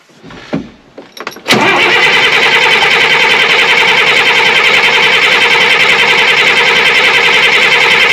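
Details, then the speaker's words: Chip box truck diesel started after valve work and reassembly, with engine oil topped up; these are always hard to start until they build oil pressure: a few seconds of clicks, then it catches cleanly and runs evenly. "it's going to be hard to start they always are it's got to build proper oil pressure and"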